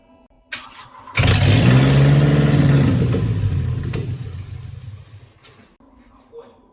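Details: Mercedes W202 C230 Kompressor with replacement M111 engine and manual gearbox, fitted after head gasket failure, car also has LPG: cranks and catches cleanly, rises to a smooth steady rev with an even low note, then settles; healthy.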